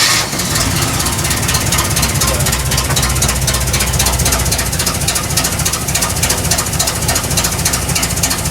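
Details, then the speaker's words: KITT's petrol engine runs rough just after starting, with a loud, uneven, choppy beat instead of a smooth idle. The tuning is still being dialed in, and vacuum leaks are heard. Definitely not quite right. "Definitely not quite right."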